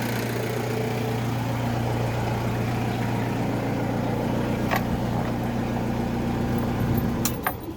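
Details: Mazda Fighter diesel after replacing the injection pump, following glow-plug preheat: steady, even idle with a low, constant hum and no misses or knocks before it shuts down near the end; normal diesel idle.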